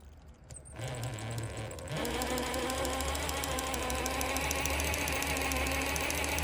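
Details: Axial SCX10 III RC crawler: small electric motor whirs with a fast, steady clicking, about three or four clicks a second, absent when first assembled and growing louder; drivetrain clicking.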